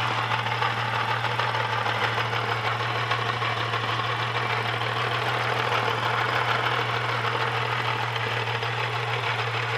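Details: Holden VS Series 2 Ecotec engine, about 400,000 km, idling: fast, uneven metallic rattle over the engine note that seems internal; source unclear, owner considering a lower-kilometre second-hand engine.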